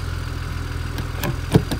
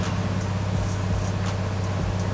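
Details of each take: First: Steady low idle with a few isolated clicks on a BMW 335i, running again after fuel was added; owner had suspected fuel pump and DMTL codes, replacing DMTL didn't fix the problem, and it still sounds weird. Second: BMW 335i after replacing DMTL pump: engine cranks with steady drone but won't start; possibly out of fuel, with the fuel gauge suspected of reading wrongly.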